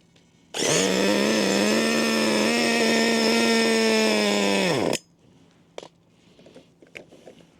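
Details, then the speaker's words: Roughly 20-year-old HPI Racing MT2 4WD nitro RC truck, primed, hard to start: shrill engine screams at steady high revs about four seconds then cuts dead; owner thinks it is clogged from sitting unused and needs work. "It's starting okay. A bit clogged. Needs a bit of work. Right, it was a bit of a ball ache to get going."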